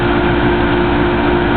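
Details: Samsung washer motor driven three-phase from a custom PC board as a 120 V 60 Hz generator, lighting a small 120 V lamp after long disuse, drawing 4.23 A: loud steady roar with even mid-pitched whine; running and generating normally.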